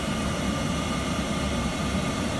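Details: Worcester Heatslave 20/25 oil boiler after bleeding air at the pump bleed screw and tightening it: a steady, even burner roar with no sputtering or cutting out. Clean, stable flame.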